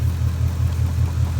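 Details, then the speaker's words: 2017 Ford Mustang S550 RTR Spec 2, Coyote V8, at idle after a shop blew the engine: a low, even rumble with steady pulses and no knocking, only the normal Coyote typewriter click. Normal idle. "don't hear the knocking no that's the normal coyote sound that's that typewriter click"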